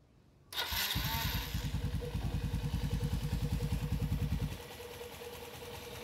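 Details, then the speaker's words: Motorcycle (Rider/JFI mentioned) with a damaged clutch bell, engine started: a thin steady whine sits above the fast idle putter, heard from the clutch side after a mechanic cut and hammered the clutch bell; clutch-side whine. "Naririnig nyo. Umuhuni. No? Merong umuhuni rin sa makina."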